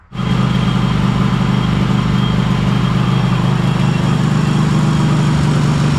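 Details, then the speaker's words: Cub Cadet Super LT1554 lawn tractor, 27 hp Kohler V-twin, 500+ hours, as acquired with intermittent spark and oil leaks: fires right up, then lumpy uneven idle; owner believes it is running on one cylinder, lifters to be replaced. "Yeah, sounds pretty rough. Um fired right up though, but I'm pretty sure it's just running on one cylinder."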